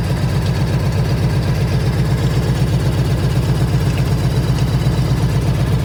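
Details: 1998 Harley-Davidson Ultra EVO V-twin, 83,000 miles, idles with a deep loping beat while faint, irregular random ticks come and go, sounding like something bouncing around inside; cause unidentified.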